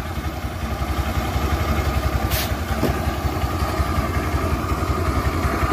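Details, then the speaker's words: 2010 Suzuki Access 125 scooter, about 14 years old, after new belt, new clutch rollers and petrol-cleaned clutch: steady, even putter at idle, no belt-side rattle; engine noise fixed, runs smooth. "इसलिए दोस्त आप देखिए, मेरा engine बहुत शोर है। चिकना कर दिया गया।"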